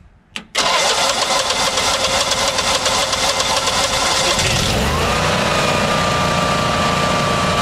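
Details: Generac standby generator on LP gas, hard starting (took two attempts), gas pressure read 13–13.4 inches against a 10–12 spec. Short crank, then it catches and runs steadily, speeding up after a few seconds; the fuel cause is unconfirmed.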